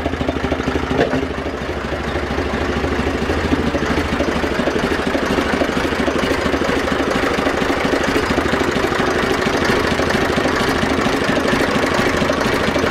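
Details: Zetor 4911 tractor diesel, stored since 2012, restarted after coolant top-up with no leak at the cylinder head, warming up: steady even beat about two firings a second, no misses or knocks; clean idle.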